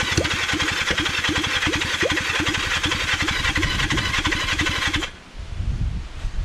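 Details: Kawasaki Zephyr 750 four-cylinder during restoration, carbs just refitted after an ignition fix, on choke: long starter cranking with steady chuffing at about three beats a second, never catching. Cranks but won't start because the tank has run out of fuel.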